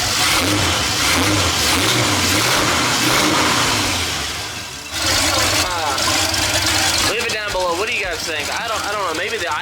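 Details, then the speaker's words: Budget LS-swapped Fox-body Mustang with new long-tube headers and a new harness (earlier NOx sensor harness pinched under the intake): loud, rough V8 idles low, blips up and falls back; idle still too low, cause unconfirmed, owner suspects idle air control valve. "is that's not that bad it's still idling low though it's definitely still I only low"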